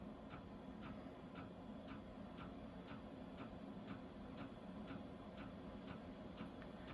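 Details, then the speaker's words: Vevor Chinese diesel heater at startup, heat set to 3, in a cold camper, drawing about 10 A: soft even fuel-pump ticks about twice a second over quiet hum, priming and pumping faster, normal. "You can hear it start to pump faster. I'm not sure if that means it's running yet."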